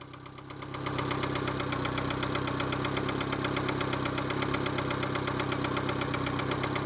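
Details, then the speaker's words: Yamaha 70 hp outboard idling: quick, uneven knock about four per second, no alarm; caused by a Honda fuel connector used instead of the Yamaha connector. "Some knocking sound. Remote control, there's no alarm. Well, there's some knocking sound that you can hear."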